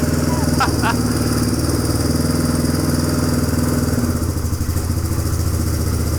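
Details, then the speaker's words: 1997 Suzuki DR350 single-cylinder dirt bike after a new flywheel key was fitted for backfiring and erratic idle, warming up: even thump at a steady idle. A stuck throttle is suspected, and the owner later thinks the idle may still be unsteady. "that's a steady idle I can set my oh it's probably it's the stuck thr throttle right probably I think it's better it sounds sounds different"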